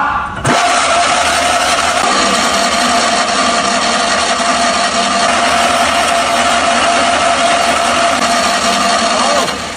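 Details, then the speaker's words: 1980 Fiat 126p, 652cc engine, first start attempt after restoration and reinstallation: a steady high starter whine for about nine seconds, engine turns over but never catches; owner thinks the engine is fine but the oil hasn't circulated yet, and plans intake spray. "This engine is definitely fine, but it feels like the oil hasn't circulated yet."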